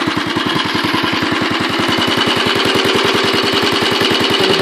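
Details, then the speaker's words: Royal Enfield Bullet 500 Classic single idling after kickstart: even thump at about three and a half beats a second with a light tappet tick on top, which the owner points out as the tappets. Normal for this engine. "And you can hear the sound here, it's pretty nice. If you get a decent exhaust on it, it will sound a lot better, but oh, it smells lovely."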